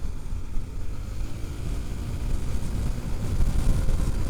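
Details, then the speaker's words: Honda ADV 350 scooter after fitting a Thai aftermarket clutch kit to cure clutch judder: under full throttle the drone rises steadily with wind rush and the revs never flare; the clutch grips cleanly, no slipping. "No, it just drops the cog down. I reckon it'll still do 140."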